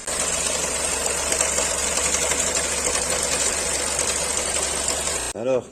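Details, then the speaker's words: Renault Clio 4 1.2 TCe idling with clatter under the hood, plus power loss and doubled fuel consumption: fast dense metallic rattle from slack timing chain slapping guides. "on est sur une clio moteur TCE ça claque ça fait du bruit"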